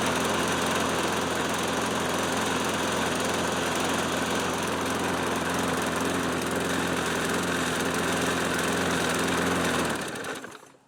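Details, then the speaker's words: Nearly 30-year-old Toro Recycler Personal Pace mower after the drive system repair: steady, even single-cylinder drone, no knocks or misses, then shut off and winding down; near zero oil consumption, running healthy. "After nearly 30 years, this engine still has near zero oil consumption. Looks like the faithful old Toro is back in service."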